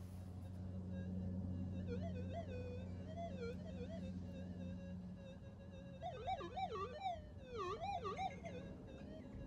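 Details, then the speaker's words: Minelab GPZ 7000 metal detector on auto-tune in a backyard near power lines: warbling tones sweep up and down over a steady low hum as it hunts for a channel amid heavy 50 Hz harmonic interference. "listen to the noise the noise in the area listen to it it's absolutely horrendous yeah lots of harmonics from 50 hertz power lines and poor detectors having a hard time here"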